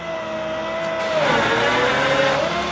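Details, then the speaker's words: 2004 Chevy C5500 rollback, 6.6 L Duramax, PTO on at high idle, cold day: even, level hydraulic pump whine with no chatter or grinding while the winch moves; the winch works normally. "Of course, our winch up there works just fine. You can see that moving."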